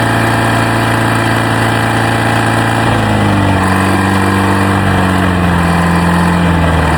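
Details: Old Detroit Diesel on a jaw rock crusher plant, running after its first start in 3 to 5 years and starter repairs: deep, steady diesel drone that shifts speed slightly partway through, with no knocks or misses; it runs smooth.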